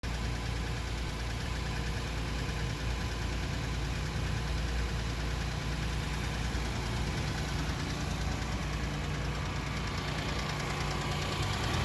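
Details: Diesel engine at idle, with headlights reportedly staying on all the time; dense rattling clatter over a heavy low rumble, steady throughout; engine knock, cause not yet identified.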